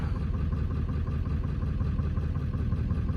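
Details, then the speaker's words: 1997 Ford F-350 7.3 diesel, not started in months, mild November day: rough, uneven idle with dropped beats, missing badly with heavy white smoke; misfire, suspected injector problem. "You can hear it's missing pretty bad and smokes like a tar cat."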